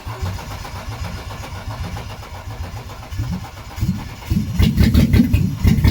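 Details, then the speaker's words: BMW E36 Coupe, first start of freshly installed M52B28 2.8 six from a Z3 after refitting the fuel pump relay: steady cranking about four seconds, then it catches and settles into an even, strong idle. Normal engine start. "Take that as a victory. Fuck yes. She runs."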